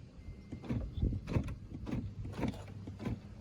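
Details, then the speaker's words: 2008–2010 Dodge Grand Caravan passenger front door, lock button pressed: short weak buzzing pulses without a firm lock clunk, lock barely moving; failing door lock actuator, replaced. "So you can hear noise sometimes. It tries sometimes."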